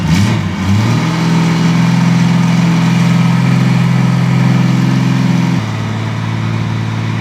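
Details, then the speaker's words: Derelict Honda Goldwing six-cylinder project, first fire-up with rescued exhaust collector fitted (previously raucous on open headers): brief blip, then smooth deep drone held steady before settling to lower idle; normal idle. "There, glorious. What a sound. That is exactly what a 6-cylinder engine should sound like. Smooth and silky with a deep drone down in the belly of the bike."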